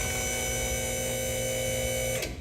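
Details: Two-post hydraulic lift raising a vehicle about ten inches after lift points are set; even electric hum with a steady pump-motor whine, running smoothly then cutting off cleanly; normal lift operation.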